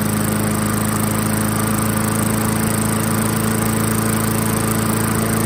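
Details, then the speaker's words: 1994 Murray self-propelled mower, 3.8 hp Tecumseh TVS90, stored about 20 years, with replacement carburetor after idle screw adjustment: steady, even idle with firm low hum, no skipping; previously skipped with idle too low. "So you can hear that idle increase where it's nice and smooth now. That's about where we want it."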